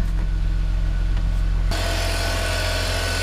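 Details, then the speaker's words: BMW E46 325xi touring wagon inline six, after first round of repairs (CCV kit, upper intake boot) and codes cleared, covers off: steady even idle hum with no misses or ticks; normal smooth idle. "listen to how smooth that sounds haven't put the covers back on because i just want to make sure nothing's leaking and i also want to clean up in here it is like new that engine's running so sweet that is that smooth bmw in line six that you just wish for"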